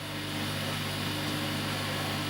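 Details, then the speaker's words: Laser cutter air-assist pump, paused mid-cycle, runs with a steady, strained, low droning hum at constant speed, labouring against flow restricted by a restrictor valve and a wadding-filled jam-jar filter. "that's why you can hear the pump running and you can hear the pump running in a labored form"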